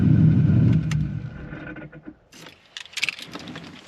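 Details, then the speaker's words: Car (likely the Corvette) that previously ground going into reverse now engages smoothly and reverses: engine idles, then a short run of sharp metallic knocks as reverse engages; a clunk going into gear, cause not yet found. "It makes like a clunking noise when it goes into reverse. It goes into reverse smooth now, and there's no more grinding, and as you can see, I was actually able to back the car up."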